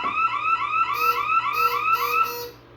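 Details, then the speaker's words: Bosch Radionics 4012/8012 security panel demo: keypad buzzes with repeating high warbling chirps, about three a second, after silencing, warning that the tripped rear motion zone is still open. "And you heard it buzz cuz that is letting me know that was still open."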